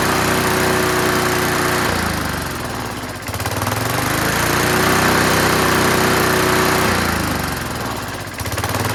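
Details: Curbside-found Snapper Hi-Vac push mower now running on its own. The throttle lever hits the ground at about 2/3, so it revs high. Fast single-cylinder sound, pitch sagging and recovering every few seconds. Running, high idle.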